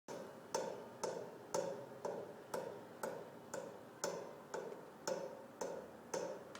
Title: Pipe Banging Noise